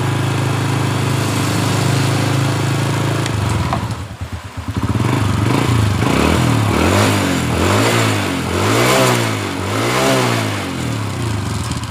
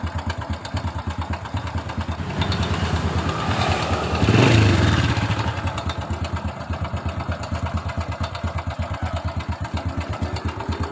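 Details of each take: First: 2007 Honda Supra Fit New, earlier rough 'kletek' rattle around the cylinder head that is usually the cam chain, after reassembly with fresh oil: single-cylinder idles with a steady low thump and even rev blips, no rattle. Normal idle. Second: 2007 Honda Supra Fit New, rough kletek-kletek noise around the cylinder head: small single idling with a dry, quick top-end clatter that grows with a throttle blip; cam chain found very slack.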